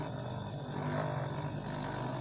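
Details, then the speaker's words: Gas compressor switched on before repair: a loud, steady droning hum with a constant low note and a rough edge. Excessive running noise. "बहुत ज़्यादा इसका शोर है friend. तो हमने इसका शोर जो है वो ख़त्म करना है।"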